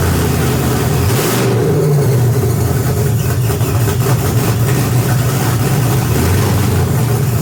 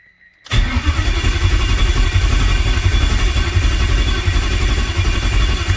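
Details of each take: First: BMW E46 with M62TUB44 V8 conversion at first start, after the serpentine belt, harmonic balancer and alternator were fitted and fuel and oil pressure were confirmed. The V8 catches with a deep steady burble, revs up and settles cleanly before shutting off: a normal start and revving. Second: BMW E46 with an M62TUB44 V8 swap, first start attempt: the starter spins the V8 steadily for about five seconds but it never fires. There is no fuel pressure in the rail, where about 50 psi is expected.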